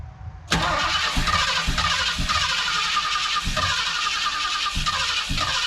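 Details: 1976 Ford Ranchero 500, 351 Modified 400, said to be fitted with an electric fuel pump, first start: catches at once and settles into a steady, fairly brisk idle with regular firing pulses and no knocking. Blew oil out but has oil pressure; normal running.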